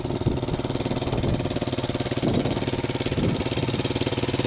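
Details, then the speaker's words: Barn-find 1981 Honda XR100 dirt bike, carburetor just refitted, throttle cable broken: single thumps at idle with a slightly uneven, lumpy, wavering beat; irregular idle, owner suspects an air leak, not confirmed. "I did notice it probably has an air leak somewhere, just because I started it up today and it kind of sounds like it's idling weird."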